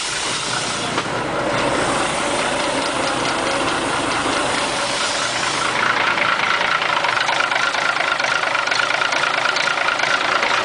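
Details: Mack R600 with Maxidyne 300+ diesel, first start after sitting for years: steady, even diesel idle with regular clatter, no knocks or misses; started right up and runs fine.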